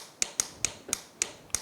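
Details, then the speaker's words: 2009 Yamaha YFZ450R ATV no-start diagnosis, fuse good, key on, start button pressed with starter wire disconnected: seven crisp, sharp clicks in under two seconds with no cranking; starter solenoid closing the contactor as it should. "you're actually just going to be listening for the scylla need to actually close here and you'll hear a pretty loud click"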